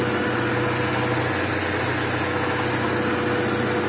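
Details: Honda Civic EG hatch with D15B SOHC engine at idle: steady mid-pitched kettle-like whistle over an even idle. Owner believes it comes from the intake and plans to try a fat intake tube; not confirmed.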